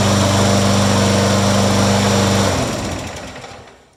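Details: Yard-sale push mower that had been struck: steady even buzz at constant speed, no shake or knock, winds down cleanly at shutoff; crankshaft not bent, runs fine.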